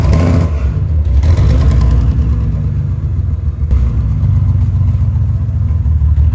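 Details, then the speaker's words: 2011 BMW 328i E90 running poorly: rough uneven low rumble that stumbles and shakes; unplugging coil packs traced the misfire to a failed cylinder six ignition coil, before replacement. "well as you can hear not running too good uh I started unplugging the coil packs as I was going before I started recording and I found out that it's a cylinder six coil pack"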